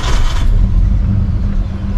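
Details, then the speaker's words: Holden VL, original non-turbo six-cylinder, five-speed manual, nearly 300,000 km: engine starts and settles into a lumpy uneven idle with misfire; black exhaust; cause not yet found. "can hear the sound misfire and uh like every other car four cylinder six cylinder all the same"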